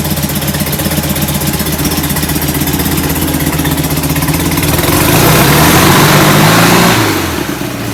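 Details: Rebuilt, enlarged performance VW air-cooled flat-four on first start: lumpy uneven idle revving up around five seconds then settling, running rich; suspected oversized idle jets despite bigger air cleaners.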